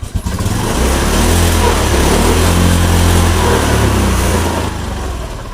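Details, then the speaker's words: Honda Beat Street FI scooter: idles normally but bogs and struggles when throttle opens, then sags and fades toward stalling; dirty throttle body. "so on this motorbike the problem is that if it is gassed, it won't, friends, or if it is gassed, it sometimes struggles and then stops. like this,"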